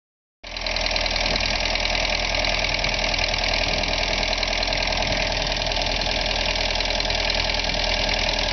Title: '85 VW Jetta Diesel ticking noise